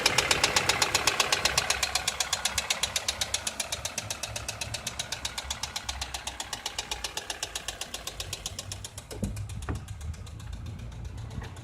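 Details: Toyota 2SZ-FE engine at idle: sharp regular ticking about four per second over a quiet engine, blurring into the revs. Suspected cause is clogged oil passages starving the hydraulic valve lash adjusters of oil, leaving large valve clearances.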